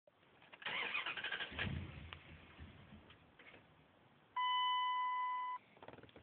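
Starter churns for roughly three seconds, the engine never catches, then a steady warning chime sounds: cranks but won't fire.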